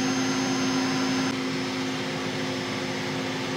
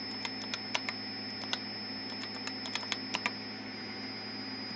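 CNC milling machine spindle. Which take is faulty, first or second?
first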